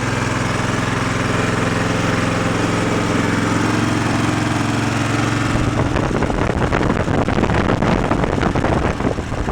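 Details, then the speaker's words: Twin-cylinder engine started on choke after a spark fix on the dead cylinder. Steady, even idle with both cylinders firing, then a rougher stretch as the long-unused cylinder burns off deposits: normal running. "well I would say that's both cylinders I think that cylinder hasn't run in a while huh definitely burning off all the crap that's around that one"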